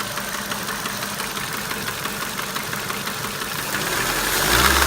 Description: Ford mondeo 1.8 petrol Duratec HE Engine 87,000 miles ( knocking/tapping ) I have no idea if where is the noise coming from? help please. 😔